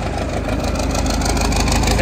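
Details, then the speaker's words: Case 8840 swather diesel, old and probably using a little oil: steady, even low rumble at idle with no knocks or misses; it sounds healthy and runs well. "um yeah it runs good probably uses a little oil but what old equipment does it"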